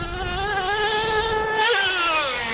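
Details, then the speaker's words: Losi LST XXL2 1/8-scale RC monster truck, .31 cubic inch gasoline two-stroke with active vehicle control, after needle tuning while driving and jumping: clean, steady buzz climbing smoothly with throttle, no misfire; running healthy and sounding better. "that was me overcorrecting she's starting to sound better"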